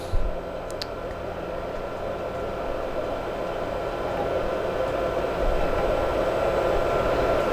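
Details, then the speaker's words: Amiga 4000 bought on eBay and unopened for three years, first boot-up (3.1 ROM, 24 MB): even, steady fan rush with a low hum and no knocks or rattles, sounds very healthy. "let us uh see this thing boot up and see what happens that sounds healthy it sounds very healthy"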